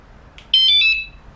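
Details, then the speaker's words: WSDCAM bike alarm with horn kit, arm button pressed on remote: faint chirp then a single loud high steady tone about half a second; armed confirmation. "So you press the arm button right there, the top button, and it goes through a toggle to say it's received it, and then a few seconds later it's screaming at you that it's armed."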